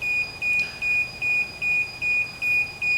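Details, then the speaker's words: DJI Phantom 4 remote controller during initial app setup: a sharp high beep repeating about 2.5 times a second, very regular, and annoying. It warns that the sticks need calibration. "조종기에 나는 소리가 좀 성가시죠."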